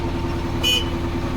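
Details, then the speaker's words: KAZ-4540 truck from Georgia after long storage, diesel idling with air system pumped up: short clear horn toot over the steady diesel rumble; horn works normally. "Бибика работает. Отлично."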